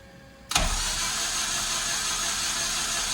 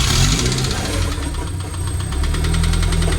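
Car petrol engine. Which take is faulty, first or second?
second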